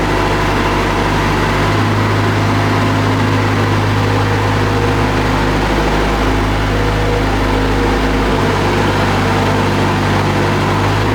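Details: Bobcat skid-steer loader being diagnosed for ACS light, fault codes 3265 and 32-49, and loader arms not unlocking: steady, even diesel rumble with a constant low hum, no knocks or misses; normal running.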